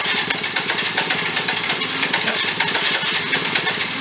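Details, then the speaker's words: Benelli Andretti M50 two-stroke scooter, 500 miles, long stored, primed and fed gas while cranking: fast uneven pulsing rasp that sputters and won't keep running; owner suspects crankcase full of oil or a damaged top end. "so yeah so something else is going on uh either the crankcase is just really full of oil and it's pumping all that out"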